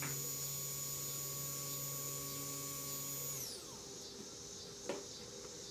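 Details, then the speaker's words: Replacement fuel pump for a 2008 Kawasaki Vulcan 1600D, tested on the bench at 12 V DC outside the bike: steady high electric whir held a few seconds then smooth spin-down — normal fuel pump whir. "one I bought off eBay like 16 bucks the claimant had Japanese parts and it was real quiet but boxes made in China so here's here's this other new one to me one was noticeably quieter the stock one"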